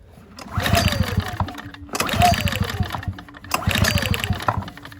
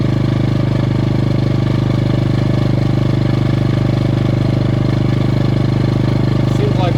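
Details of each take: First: Ryobi RYi2322 inverter generator bought as non-running, sprayed with starting fluid: three recoil pulls, each a quick whirring rattle dying away without firing; no start because spark plug boot left disconnected. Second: Ryobi RYi2322 inverter generator with 0.1 hours runtime, after fixing a blocked carb jet: smooth, constant hum with no surging, missing or hunting. Normal running.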